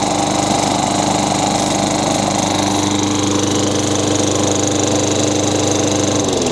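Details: Craftsman 22-inch mower, Tecumseh 6 hp single-cylinder, after replacing an old rusty plug with a new Champion RJ19: steady even running that settles to a lower note near the end; runs healthy, no smoke.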